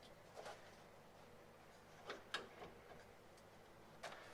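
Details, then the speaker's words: Mercedes 300SEL 6.3 front axle, control arm rocked by hand: sharp metallic clicks and knocks from a worn original lower control arm pin with play; needs replacement. "the pin is worn out so you can hear that that's knocking around so it actually needs to be replaced"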